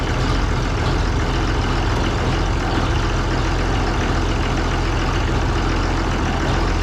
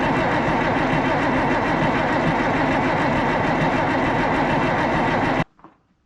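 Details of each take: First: Oliver 1800 diesel tractor in cold weather, just restarted after its Stanadyne (Roosa-Master) injection pump was repaired and refitted: steady, even low idle with no misses or knocks, burning clean while air is purged from the fuel system. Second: Oliver 1800 tractor diesel with Stanadyne (Roosa-Master) injection pump just reinstalled after repair: steady starter cranking with no firing, injector fittings left loose to bleed air from lines; cranks but won't start until fuel reaches injectors.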